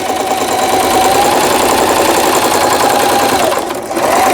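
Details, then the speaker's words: Singer 3221 sewing machine after shuttle race hook timing repair and new needle: fast even clatter, steady needle rhythm, brief slowdown at end; loud drum-like noise from empty lower housing space is normal; normal sewing. "이 기계가 좀 소음이 크다고 이렇게 느껴지실 거예요."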